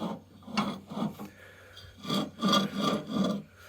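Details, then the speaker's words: Husqvarna LTH 18538 lawn tractor steering assembly turned by hand during overhaul; slow uneven gritty rasping strokes, not particularly loose; rough bearing suspected, unconfirmed. "So it sounds a little gravelly in here,"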